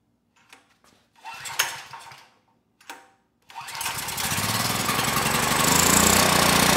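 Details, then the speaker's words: 6000 W PowerStroke generator, about 12 years old and stored outside, with a rusted, debris-filled tank and what looks like mud inside the carburetor. After one failed pull it starts and settles to an even, governor-held buzz; it runs normally at 61.1 Hz and about 121 V. "it started second pull engine speed stabilized governor's doing a good job"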